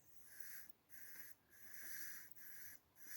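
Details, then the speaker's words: 1974 Citroën GS hydropneumatic height corrector, moved by hand after freeing: soft rhythmic air hisses about every half second as it slides freely; no longer stuck, working as it should. "how it forces the air back and forwards in there. So this is a height corrector that is not stuck anymore. And this is how it should be."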